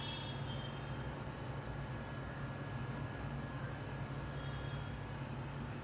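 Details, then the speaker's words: Samsung AR18AY5YATZ air conditioner outdoor unit at night, phone held about one step away: smooth constant low hum without rattles, clicks or rising whine; normal quiet running. "just to make sure that you can get to know how much sound it produces. So this is all the sound you can hear."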